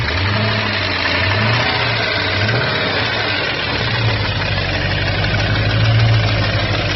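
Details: 2002 Jeep Grand Cherokee WJ 4.7, professionally rebuilt engine with 4k miles, steady idle with a light, quick tick. It began after a restart at a rest stop; temperature and oil level are normal. Loose exhaust manifold suspected, not confirmed.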